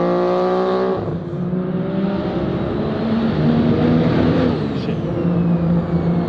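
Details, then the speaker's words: Three-rotor street-port RX-7 on a low-boost street pull: pulls hard, then the tone goes choppy and uneven as revs climb; it breaks up around 4000 rpm under boost, cause unknown. "like I said there's a big issue with it about 4000 rpm it starts breaking up"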